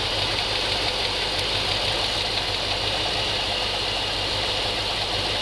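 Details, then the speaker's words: GMC 3500 454 V8 idling warm with valve cover off during a rocker adjustment (11/16 adjuster): fast light top-end ticking; valves found really tight and way out of adjustment, set a quarter turn past the point where the noise stops. "I would think it would be there it goes wow that was really tight these are definitely way out of adjustment"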